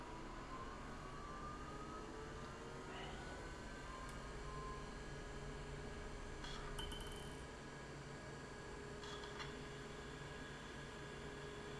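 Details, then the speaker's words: IBM 0665 44MB MFM hard drive, nearly 40 years old, surface test passed: powered down and back on. Steady whir of a spinning platter with faint seek ticks and a constant motor tone. Normal, healthy spin-up. "and then I'm going to power off the drive so you can hear the power off. And then I'm going to power it on again so you can hear the power on."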